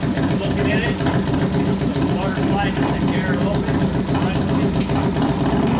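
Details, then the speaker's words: 1993 Harley FXR Evolution 89ci stroker, new build first start-up, air cleaner off: lumpy but steady idle with light throttle blips, no knocks or misses, warming up; accelerator pump turned down, idle mixture being adjusted but not very sensitive; normal idle. "I turn the acceler pump down a couple turns so I cuts a lot of that out sounds good we got to readjust it once you put the air cleaner on yeah of course it's not real sensitive the idle mixture I keep playing with a little bit"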